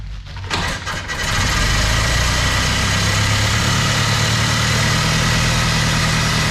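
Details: 1916 Ford Model T, already warm, started at about half throttle: a few cranking turns, a quick catch, then a steady even idle at about four beats a second, no misfires; normal start and idle.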